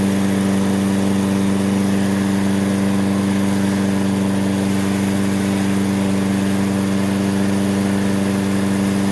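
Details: Toro self-propelled mower, Briggs & Stratton 6.75 (believed) with auto choke, which would not restart when hot, after a basic tune-up and fresh gas, warming up: a steady, even drone with no misses or surging; normal running.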